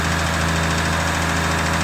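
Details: Lexus IS300 with 2JZ-GE turbo idles loud and steady with a fast, even metallic rattle over the engine note; owner suspects rod knock but the source is unclear.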